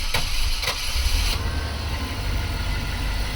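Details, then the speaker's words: Chevrolet Express van, first start after fuel filter, MAF sensor and lock cylinder change, weak battery: cranks with a few sharp catches, then steady, even low idle with all cylinders firing; normal idle. "Now! That sound is heard when all cylinders are firing. You hear that a lot cars only running on four cylinders in the traffic."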